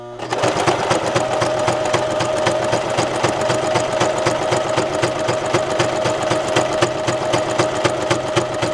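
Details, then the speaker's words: Brother LX3014 sewing machine quilting tightly woven broadcloth with tight stitch: fast even stitching clatter, about four stitches per second, with steady motor hum; sounds rough but runs normally, almost no puckering. "Now it sounds like it's really running rough, but it actually isn't. This is a very tightly woven, like a broadcloth fabric, and it's a tight stitch."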